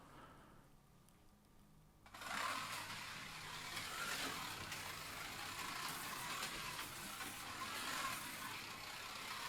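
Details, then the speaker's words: Policar WRX slot car after rough sanding of the tires to match tuning; soft, even motor hum and tyre hiss with no rattle or whine surges, running quietly like the matched blue car. "and that one runs very much like the blue one quite quiet really"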